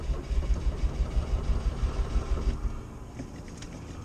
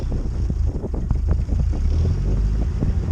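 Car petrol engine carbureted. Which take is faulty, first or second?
second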